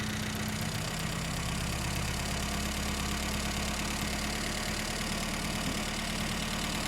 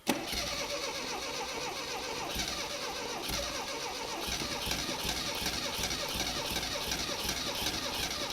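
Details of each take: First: 1975 Mini Clubman estate with an engine stored 12 years, after carburettor swap and firing order correction: steady, even idle with low rumble, no knocks or stumbles; runs fine but needs tuning, wiring and clutch bleeding. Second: 1975 Mini Clubman estate, parked 7 years, fitted with an engine stored 12 years: long rhythmic cranking with uneven coughs that never catch, then stops; sparks and fuel present, stuff shooting out, owner suspects plug leads in wrong firing order.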